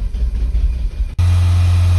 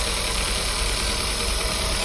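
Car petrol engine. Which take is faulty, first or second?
second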